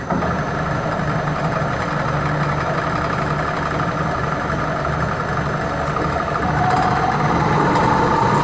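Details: Restored circa 1959–1960 Powermatic Model 90 wood lathe with new motor, wiring and variable frequency drive feeding a Reeves drive via an added jack shaft on 5/8 in greaseable bearings: smooth, steady hum with even drive note rising slightly near the end, no knocks or grinding; healthy running.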